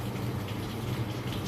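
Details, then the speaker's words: Samsung washing machine after replacing faulty water inlet solenoid coil, wash cycle started: steady rushing water with low pump-like hum, even and uninterrupted; inlet valve filling normally. "এক minute পর এটা পানি নিবে আপনাদের আমি দেখাচ্ছি এই দেখেন পানি পর্যন্ত দেখা যাচ্ছে"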